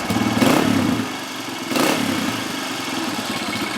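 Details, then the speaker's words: 2003 Honda CRF230F carbureted single-cylinder, warmed up, choke off: idle surges and sags after a throttle flip, slow to settle, nearly dies; hanging idle from lean condition, suspected dirty pilot jet or factory-lean jetting; also bogging, fuel leak after shutoff. "We give it a quick flip and it takes a couple seconds to settle back down. That's a hanging idle which is caused by a lean condition."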